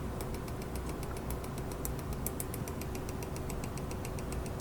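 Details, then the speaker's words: DIY 18650 spot welder on a 12V 8Ah lead-acid battery at 12.75 V, set to 0.1: quick, even ticking about eight a second over a low hum, and it never welds. Clicking usually means undervoltage, but the voltage reads fine; cause unclear. "You hear that little clicky? That's usually the sound it makes when it's undervolted."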